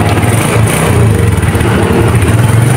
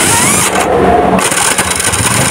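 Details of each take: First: Suzuki Smash single-cylinder motorcycle after starter repair (worn dynamo brushes replaced; starter drive gear found crushed): steady, even low putter with no knocks, rattles or grinding; healthy normal idle. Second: Suzuki Smash after earlier starter motor repair, starting: harsh rough grinding and screeching as the starter engages, sometimes catching and sometimes not, rather than a clean spin. Starter gear grinding from a crushed starter connecting gear.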